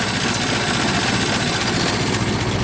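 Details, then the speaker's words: Ford Model T four-cylinder after cold start, idling at minimum throttle with spark about half retarded, viewed from driver's side: even, steady low idle, no misfires or knocks; healthy idle. "that's currently running at um minimum that's idling but it's uh about half spark now"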